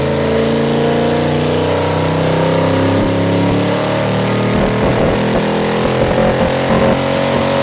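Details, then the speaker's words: Ford 351 Windsor V8 with a flat-tappet cam, EFI fitted, in a full-load dyno pull: it pulls hard, then breaks up with stuttering dropouts near the top. A high-rpm misfire, possibly the rev limiter or the engine; cause uncertain. "kind of missed there at the end. So, was that up against the rev limiter or was that I don't something with the engine? It's hard to say."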